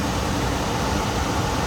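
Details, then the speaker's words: Gas furnace blower motor kicking on after a delay while the system warms up; even airflow rush with a smooth low motor hum, no scraping or rattles. Normal blower operation. "That's why it takes a little while for the blower motor to kick. Now it's on"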